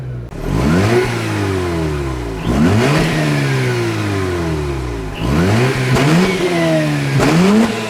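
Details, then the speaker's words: Mazda RX8 2.6 L-rated rotary, 5-speed manual, standard exhaust, engine warm: four quick free-rev blips climbing and falling cleanly, returning to a smooth idle; normal healthy revving. "So even though it's a standard exhaust, let's give a few revs so you know what it sounds like."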